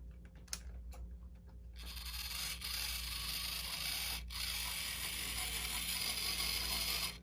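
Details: Bachmann Santa Fe 4-8-4 Northern N scale steam locomotive, first run from a used lot: faint uneven ticking and gritty scraping over a light whirr, about three a second; thought to need cleaning and lubing.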